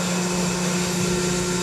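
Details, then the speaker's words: Electric fire pump started on low pressure with a valve opened, running on normal power: loud steady motor hum with constant tone around 200 Hz and rushing water behind it; running normally. "now our fire pump has started on a low pressure"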